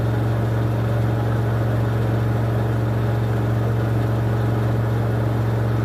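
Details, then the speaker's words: 2006 LG WM14225FD front-loader, final 1400 rpm spin, unbalanced load: loud steady drone with faint rumble at top speed; worn drum bearings suspected. "so there we go that wasn't too badly behaved final spin but I could definitely hear those bearings go in at the 1400 when it got to that speed"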